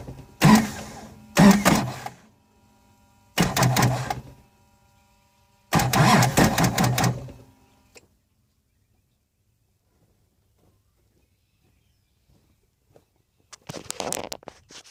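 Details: 2006 Duramax LBZ with Allison 6-speed, 260K miles, new fuel filter head, clean fuel, no codes: with the key held, there are short bursts of slow, labored cranking, each cutting out and restarting, and it never fires. Intermittent slow crank, no start.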